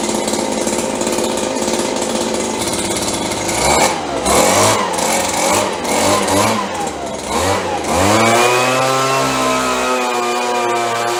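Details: 30+ year old Stihl BG72 two-stroke blower, cold start on choke: surges and stumbles unevenly, revs hunting before settling steadier; rough running when cold, better once warm.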